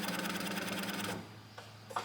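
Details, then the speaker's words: Built H22 turbo Honda Civic before first start, fuel pump fuse reinstalled: about a second of steady electric buzz with fast even chatter, then stops cleanly; pump priming normally, pressure around 40 to 43. "So Matt is going to prime the fuel, and we'll just make sure we got enough pressure up here."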